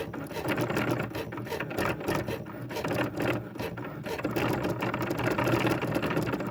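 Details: Sewing machine running with an uneven, loud ratcheting clatter over the stitching rhythm; something in the drive is noisy, cause unclear.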